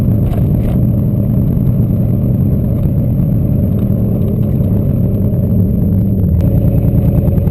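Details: Turbo LQ4 V8-swapped Ford Ranger, no-start traced not to the MAP sensor but to a DTC code that had been disabled, now fixed: deep steady drone swelling evenly with throttle under load, no stumble or misfire; pulls cleanly.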